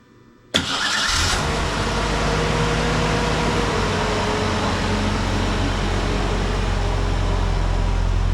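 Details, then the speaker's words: Ford Ranger 2.3 after full exhaust replacement from manifold back (new cat, mid pipe, muffler, lengthened tailpipe): starts cleanly to smooth steady idle, no ticking or leaks, much quieter than before. "I don't hear any ticking noises, any leaks, anything like that. It is much quieter than it was."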